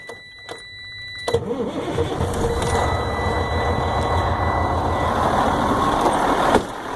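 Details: Failing starter, jump-started with jumper cables: a few lone clicks with no cranking, then the starter spins the engine and it fires.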